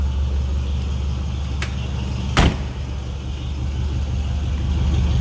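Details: 1950 Mercury Monterey flathead V8 idling, heard from the rear at the tailpipes: deep, even exhaust rumble with a steady beat and no misses or ticks; healthy normal idle. Tach believed not working; aftermarket temp and oil-pressure gauges appear fine.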